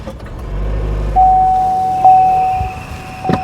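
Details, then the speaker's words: 2014 Buick Encore 1.4L turbo, lean code P0171: rough idle with a low uneven rumble and steady high whistle, first thought a belt squeal; no induction leaks seen; crankcase ventilation fault building vacuum. "at first I thought it was a belt squeal I tried resetting the fueld trims I don't have any induction leaks here that I can see but you can see how it's running so poorly now it's not squealing anymore but it was squealing so it's got a problem with this crank case ventilation system"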